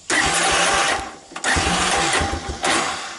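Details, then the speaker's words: 1985 Honda ATC250ES Big Red, carburetor already rebuilt, petcock and filters replaced: starts only sometimes, runs rich on choke, and dies off choke even when warm; bursts and stalls, hard starting and stalling at idle, suspected carburetion. "sometimes, and it'll run with the choke on, but you hear it's rich. But if I let it off, and even when it's warmed up, it just peters out."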